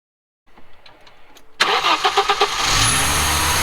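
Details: Audi 2.2 with Bosch K-Jetronic, new-old-stock injectors and water temperature switch fitted: starter churns slowly about a second, then engine catches and revs up; hard starting, only starts with screwdriver wedged into fuel metering unit.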